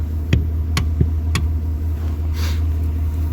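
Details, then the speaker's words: Mitsubishi Pajero 3 rear axle with one wheel lifted, knock felt in one driveshaft. Sharp irregular knocks, roughly three a second, over a low hum: driveline knock, either the driveshaft or the rear differential, unconfirmed. "Либо редуктор, непонятно. Вот с этой стороны хорошо чувствуется. Бьёт."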